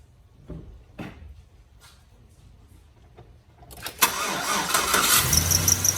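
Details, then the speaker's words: 2007 GMC Sierra after idler pulley and serpentine belt change: after quiet stretch engine cranks and catches, then high rapid chirping squeak over idle; serpentine belt still squeaks. "so yes it still squeaks they're annoying so"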